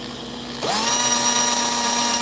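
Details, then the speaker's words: Post-race slot car that has slowed to about 3.8–3.9, found with excess oil: the motor spins up quickly to a steady high whine with no roughness but sounds slower than before; slot car motor running slow. "It's like a 3.8, 3.9 now. And you can hear it just doesn't sound as fast."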